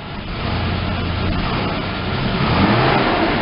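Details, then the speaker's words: Ford Ranger pickup sitting about 8 years, now with fuel pressure after the pump connector was reseated: revs with a slight stumble and uneven climb before pulling through. Hesitation suspected from a plugged fuel filter or old gas; 4WD and low-range lights on. "a little hesitation there could be some a plugged fuel for filter or uh you know just old gas or whatever what have you"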